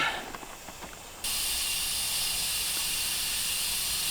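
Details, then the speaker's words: 1968 Oldsmobile 442, long-sitting and with its engine locked up, being aired up and raised: steady, constant air hiss as the tire bead lets go, with weeds grown into the bead. "that don't sound good think we just bled out the bead on this one have to pull this one off"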